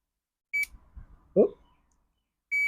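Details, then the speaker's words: Toro Z Master zero-turn mower ignition switch tested with a multimeter between terminals B, I and S. Brief beep, then silence with the key fully at start, then a steady beep when the key is eased back: intermittent continuity, so the switch is faulty. "interesting so if I took the key all the way to start nothing but as soon as I back the key off a little now we have continuity and between these two terminals absolutely nothing so we can pretty much conclude this ignition switch as a piece of junk"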